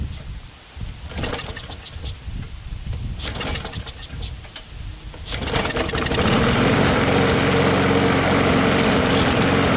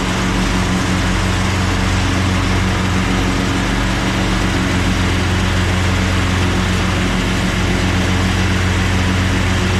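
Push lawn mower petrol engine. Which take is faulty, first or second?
first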